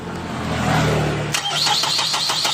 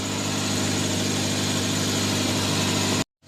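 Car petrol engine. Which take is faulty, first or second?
first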